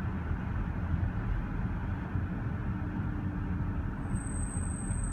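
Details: 2014 Range Rover L405 at 20 mph on a normal street: over road rumble a thin, steady high-pitched disc brake squeal, recurring every 3-4k miles and needing pad and rotor replacement; cause unconfirmed.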